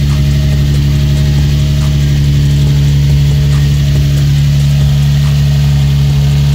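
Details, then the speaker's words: Infiniti G35/350Z first startup after an Exedy lightweight single-mass flywheel, stage one clutch, pilot and throwout bearing install: loud, steady, even idle with no knocks or grinding. Starts and runs healthy. "Alright, so transmission oil is in. This will be the first startup. Just hope she start. Starts up good, that's good."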